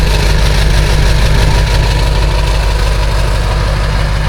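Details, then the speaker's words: Ford 7.3 Powerstroke with about 175,000 miles and good glow plugs, cold start at 18°F: a steady, deep diesel clatter with even firing and no stumble or miss. Normal idle; it fired off just fine. "As expected, the old girl fired off just fine. It's a good accidental comparison. Good glow plugs, glow plugs."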